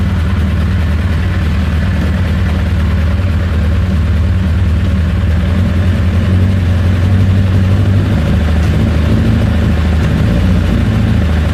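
Deep, uneven idle with a lumpy, irregular beat and no steady rhythm; the engine is running rough at idle.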